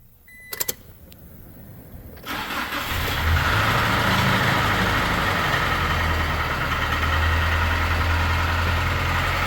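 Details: Toyota Tacoma 2.4L 4-cylinder, 108,000 miles, long-neglected oil changes; fires after two seconds of cranking, then idles with a hard, regular knock about 3.5 times a second: badly worn bottom end, engine needs replacing.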